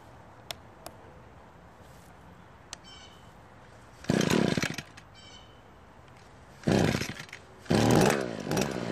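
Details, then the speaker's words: Echo hedge trimmer after replacing a worn-out gear case assembly that was knocking: three short throttle bursts rise to a smooth, even buzz with no grinding or rattle from the gearbox; running properly. "well it seems to be working just fine and not making any weird noises it's now ready to go back to work"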